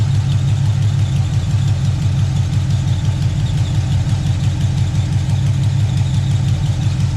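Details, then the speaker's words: Chevelle V8 started after a long time sitting, just after fixing a leaky transmission, with the fluid still low and headers burning off leaked fluid: a deep, even idle rumble with no knocks. Roll pressure may be low, but it sounds good. "might not have much roll pressure but it sounds good"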